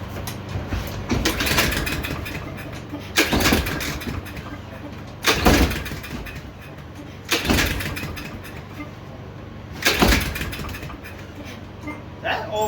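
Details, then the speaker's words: Yard Machines lawnmower, recoil pulls after fuelling: repeated pulls about every two seconds, each a short rasping crank dying away without catching; compression present, owner suspects valves out of adjustment. "sounds like it has no compression let me pull this slower no it has compression well i have a feeling these valves might be out of adjustment"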